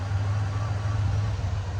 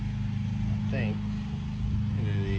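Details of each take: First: Ford Ranger after replacing bad fuel injectors and fitting a new intake manifold gasket, spark plugs back in (previously a bad misfire): low, even rumble, no stumble or skipped beats; smooth idle, runs like new. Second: Ford Ranger six-cylinder with spark at all six cylinders but two cylinders getting no fuel: uneven, loping idle stumbling three or four times a second, a dead miss; misfire from failed fuel injectors, fixed by replacing them.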